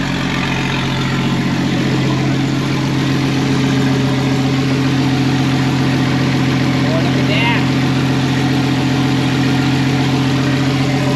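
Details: Nissan RB20DET six-cylinder in a 240Z, first start of the year after wiring finished, fuel system purged and primed; steady even idle, constant hum, no stumbling, knocking or ticking; normal idle.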